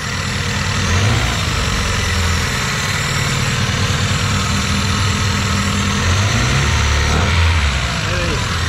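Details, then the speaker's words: Vectra parked 10 years, first start: engine settles into a steady, even idle with a low smooth beat and no knocks or misses; normal idle. "O galera vó fiquei feliz agora o motorzão funcionou"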